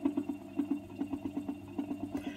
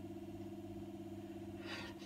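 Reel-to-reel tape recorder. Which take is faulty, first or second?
first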